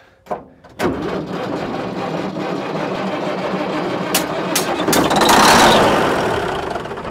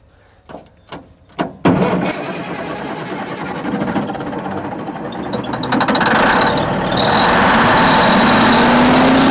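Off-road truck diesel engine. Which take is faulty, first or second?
first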